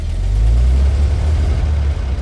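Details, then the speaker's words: 1929 Buick just started after charging work under a cover: steady low engine note with a brief rise on throttle, even firing, nothing knocking; runs healthy, now charging. "Sounds better. See if we get lights brighter. It sounds much better."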